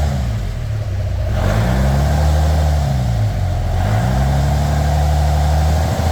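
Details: Narrow Gauge Bombardier engine after a new thermostat and gasket for running hot (an air lock in the heater hoses is suspected), revs held around 2000 rpm with the heat gauge where wanted: a steady drone that swells and settles, smooth with no knocks; normal running.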